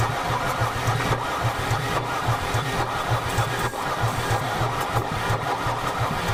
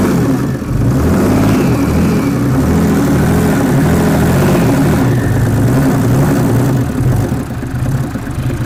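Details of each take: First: Mercedes 300D diesel after sitting three years in a field, water in fuel system: continuous slow, even cranking with no firing pulses at all; cranks but won't start, likely due to water in the fuel. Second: Mercedes 300D diesel (603 engine), sat three years with water in fuel, now on fresh diesel: steady clatter picking up cleanly with revs, no misses or knocks, some white smoke clearing; normal running.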